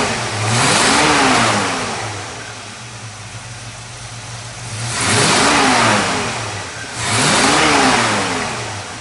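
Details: 1954 Chevrolet 3100 with 350 small-block V8, ceramic-coated shorty headers, Accel HEI, 700R4 automatic, hood open: idle lifts into three smooth free revs climbing and falling cleanly, no misses or knocks; healthy.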